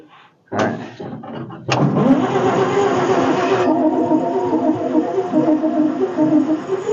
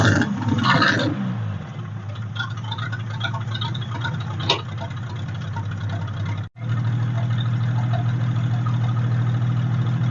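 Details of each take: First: 1946 International truck abandoned 50 years, first start after carburetor rebuild kit: cranks, catches with sudden roar, runs ragged and uneven with popping and lots of fire out the exhaust, then runs well without clatters. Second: 1946 International truck abandoned about 50 years, first run after revival with no radiator fitted: low, steady idle with an even beat, no clatters, clanks or rod knock; runs very smooth after earlier fire from the exhaust.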